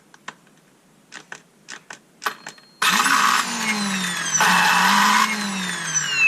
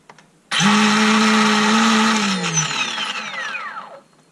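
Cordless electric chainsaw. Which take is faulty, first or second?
first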